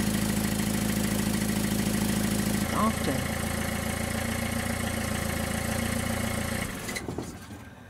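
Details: Car idling after muffler-junction exhaust leaks were sealed with J-B Weld ExtremeHeat metallic paste and fully cured. Steady, even idle with no puffing or ticking before shutdown; no leaks heard. Normal idle after repair.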